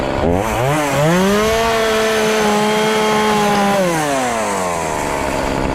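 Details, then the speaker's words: Homelite chainsaw, revived after four years sitting with carburetor and fuel lines replaced and retuned, cutting a pallet: winds up to a high steady scream, bogs slightly into the cut, holds pitch, eases off cleanly; normal running under load. "i got the power saw chainsaw all fixed up now i'm gonna do a little test run and truthfully i don't really have many trees on my property so i'm gonna cut this whole this little old pallet up and see what we got"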